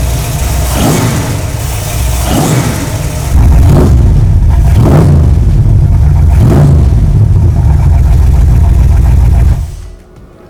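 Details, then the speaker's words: 1971 Buick Riviera V8 just converted from carburetor to Holley Sniper EFI, break-in oil, start before radiator and front end are fitted: catches quickly, a few rising rev surges, then steady even idle with no misses; normal start and idle. "And no joke, first bump, fired up and idled perfect."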